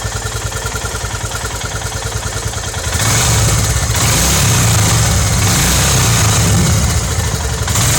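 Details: Royal Enfield Himalayan BS3 single idling when hot after a ride, loudest on the right side: thrashy thump with a high chirping whistle that fades at higher rpm; cured by a warranty replacement of the defective cylinder head.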